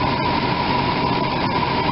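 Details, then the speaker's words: RV V8 with 54,000 miles after new spark plugs and silicone plug wires, cylinder 8 boot previously not seated and arcing: steady, even idle, no clicking, misses or snapping; running smooth and healthy after the fix. "pretty happy that it's running really smooth like this"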